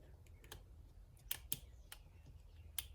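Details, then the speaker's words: 2012 Volkswagen Passat relay bench-tested by bridging its terminals: crisp, sharp clicks over a quiet background as power is applied; relay switches properly and is good. "So all you do is just connect one side right here, put this side over here, and that's the click. So you know the relay is good."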